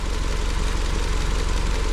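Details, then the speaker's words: Honda Civic at startup and idle on a cold night (about 30 °F) after wiring harness swap and refitting the original ignition coils: steady, even low rumble, smooth regular beat, no misfire stumble; engine now idling cleanly. "As you can tell, she's actually running worth a damn now."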